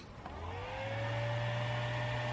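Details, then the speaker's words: 220V single-phase to 380V three-phase VFD for the mill's two-speed Dahlander motor, relay off, output with nothing connected: the VFD starts running with a low hum and a tone that rises and settles within a second, smooth and clean, a normal startup. "so with the relay off we can start the uh the vfd running"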